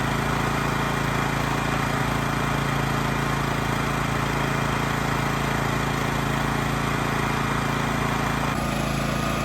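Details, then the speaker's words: Honda EX1000 1,000-watt generator, choke off, 250 W light load, frequency between 50 and 60 Hz: single-cylinder holds steady, even hum at constant speed, no surging or misses; healthy. "So this light's a 250 load. It's a 1,000-watt generator, so we're about quarter speed. I think the idle, or I think the engine speed's perfect."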